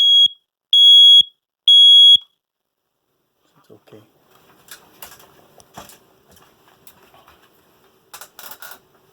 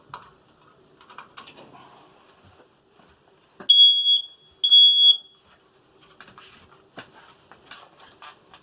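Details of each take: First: Interconnected condo smoke alarm after battery replacement and reset: three loud, evenly spaced high-pitched chirps about a second apart, with the linked living-room alarm sounding too; normal test, working as it should. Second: so this is the smoke detector so right now I know the battery of this is about to be empty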